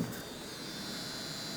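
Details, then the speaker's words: RTX 5090 Founders Edition graphics card powered from car batteries, running a 3DMark benchmark at about 520 W, 43 A, 11.94 V: steady high-pitched coil whine over rushing fan noise; coil whine under load. "Dude, I know the founder editions are rumored to have crazy coil whine, but it's kind of crazy."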